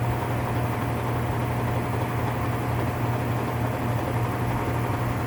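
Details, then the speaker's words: Whirlpool top-load washer (model 110…) with a grinding noise when the motor runs, run in manual test at high spin: heavy low rumbling drone with a coarse grinding edge; defective worn gear assembly needs replacing. "Alright, so the issue with the washer is that it needs a new gear assembly. So that's what's defective on the unit."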